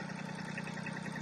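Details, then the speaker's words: Westerbeke 21 marine diesel, first crank in a year after bleeding injectors, raw water drawn from a hose-fed bucket: steady even idle, smooth low thrum with light clatter, no misses or knocks, water pump working; normal idle. "So it should crank right up. We'll see. All right, hadn't been cranked in a year,"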